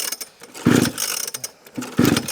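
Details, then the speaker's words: Newly bought used project motorcycle, choke up, fuel on, kill switch uncertain: two strong, even compression strokes as it is bumped over; compression sounds good, but it never catches or runs. "so it says about bumping it a few times sounds like it's got compression which is good"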